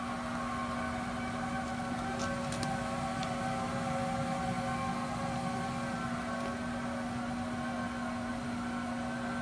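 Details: New Raypak pool heater installed a couple of weeks ago makes a constant low howl, a steady hum with a clear tone over it that doesn't change; owner does not know the cause of the howling noise.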